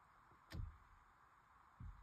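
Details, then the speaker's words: 2022+ Honda Civic with the engine off, wheel turned by hand: two dull clicks about a second apart and a notchy, sticky feel, which also happens while driving. Sticky steering related to the worm gear assembly and a US recall is suspected. "you hear that click there's a clickiness to it and you go this there's a tapping and that actually happens when I'm driving"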